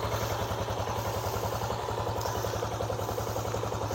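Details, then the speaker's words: Yamaha Jupiter Z1 underbone motorcycle, kick-started with weak battery: smooth steady single-cylinder idle, no knocks or misses; exhaust note midway between deep bass and treble, pleasant when revved. "Kemudian ini suara mesinnya dia cenderung halus. Suara knalpotnya agak ngebas triple ya, jadi pertengahan, jadi tidak terlalu triple tapi juga tidak terlalu ngebas."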